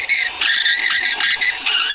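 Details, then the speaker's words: N14 Cummins valve seat work: seat cutter turned by a Milwaukee drill screeches and whines because its blades are worn out and need replacing, though it still cuts. "now you can hear this one screeching and whining because the blades are no good I got to have new"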